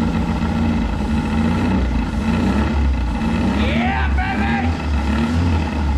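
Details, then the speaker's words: Abandoned 1983 Mazda B2000 carbureted four, engine was a little stuck, idling after revival with the carburetor fed through the vent: steady, even low rumble with no knocks or misses, smog pump audible, quiet, smokes a little. Normal idle. "that's just that smog pump hear how quiet that thing really is like a little sewing machine baby a little sewing machine who just smokes a little bit"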